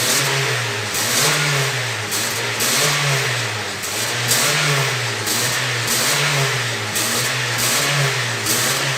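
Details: Honda New Civic that whistled when accelerating, after exhaust work that fixed it: repeated throttle blips rise and fall cleanly with no whistle or hiss; normal revving.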